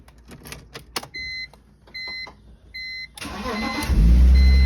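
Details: BMW E46 after fixing no-crank no-start by resyncing the key transmitter to the EWS immobilizer: dash chimes, short crank, engine catches cleanly and settles into a steady idle.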